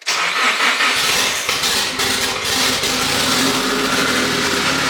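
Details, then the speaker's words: Nissan S15 Silvia with a built engine starts into a harsh, very loud raspy idle with no muffling, running only a 3-inch turbo downpipe and no exhaust, with a new alternator and fixed power steering. "That is so fuck off loud, holy shit."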